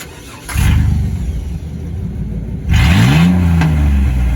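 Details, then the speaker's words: 1996 Chevy S10 just fitted with a Cherry Bomb glasspack muffler: engine catches and settles into a deep, loud burble, then a quick rev climbs cleanly and drops back; loud, free-flowing glasspack exhaust note. "that sounds so much better. I know. Wow."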